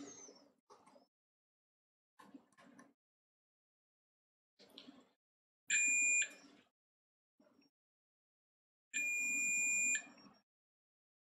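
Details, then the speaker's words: Wii remote poly fuse checked with a continuity tester during a non-working remote diagnosis: two clean, high, steady beeps about a second long; continuity, fuse intact. "so once again if you have a remote that doesn't work just grab your tester check that fuse"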